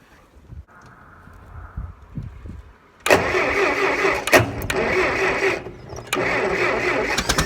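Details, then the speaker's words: Massey Harris 50 tractor with a jerry-rigged jumped wire in the dash power circuit. The starter churns the engine at about four beats per second but it never fires, because the fuel valve was not opened. Cranks, no start. "I didn't open the fuel."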